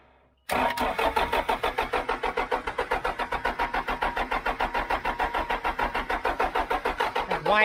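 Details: John Deere 310G backhoe diesel after a long-awaited replacement part was fitted: steady cranking about three turns a second with brief faint firing and white smoke, never catches; more priming with primer pump needed.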